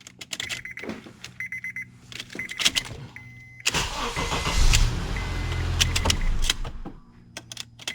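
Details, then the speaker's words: 2003–2007 Honda Accord after replacing the ignition switch electrical actuator (35130-SAA-J51), previously needing many key turns to start: key clicks and chimes, short crank, fires at once and runs steadily; normal start, no programming needed. "como se puede ver ahí arranca sin ningún problema y sin fallar ni una sola vez"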